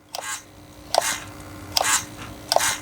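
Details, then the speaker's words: Original 2003 HPI steering servo in an HPI Savage nitro RC monster truck on a fully charged battery: four short strained buzzes with clicks as it struggles to turn, worn steering servo, to be replaced. "It really struggles there. If I right, that's had it. That's well and truly had it."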